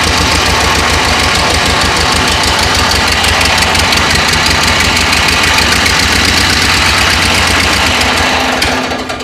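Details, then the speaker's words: Ford 8N tractor running with a steady rapid knock, about four a second, from the belt-driven front end; 50 psi oil pressure. Suspected water pump, unconfirmed; the plan is to run it without the belt. "Well, I got 50 pounds of oil pressure, so I got oil pressure, but something in there is messed up. Maybe it's a water pump. Water pump? Yeah, maybe it's that water pump up there that's shaking."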